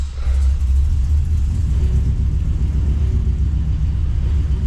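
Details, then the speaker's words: 1985 Chevrolet C30 crew cab dually with swapped 6.0 LS-based engine, right after start-up following a new cheap fuel pressure regulator: deep, lumpy uneven low rumble, running rough; owner suspects the regulator is bad too. "Well, I suppose it'll start now. Not a good start."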